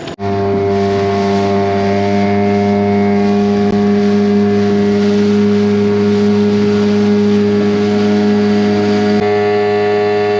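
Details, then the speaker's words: 2003 Mercury 15 hp outboard, restored, shift linkage set, running in test tank/on water after a couple of hours: steady even buzzing drone at constant speed, no surging, misfire or knock; normal running. "okay guys so I've been out here for a couple hours this motor runs excellent"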